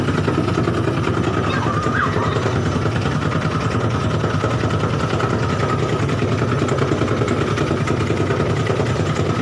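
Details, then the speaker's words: Side-door front-loading washing machine on spin, in the customer's video of the fault: a heavy, fast thumping rumble as the machine shakes violently. "itu ya videonya terjadi guncangan yang cukup keras"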